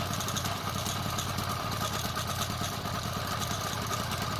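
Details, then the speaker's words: Motorized bicycle two-stroke kit engine running, with a busy rattly clatter over the buzz: the stock chain that came with the engine has bad links, making it wobble and slap. Alignment and pinion were checked OK. "Spending 2 days trying to diagnose and find out why this chain wobbling so crazy and it's so noisy."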